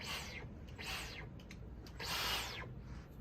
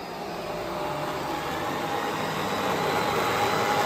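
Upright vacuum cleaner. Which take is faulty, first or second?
second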